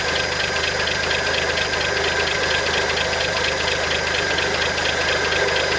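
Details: 1971 International Harvester 1110 pickup, original AMC 232 inline six, first start after carb rebuild and tune-up, before timing set: fairly even idle with light busy mechanical clatter, no misfires; alternator bearings seem fine, running reasonably well.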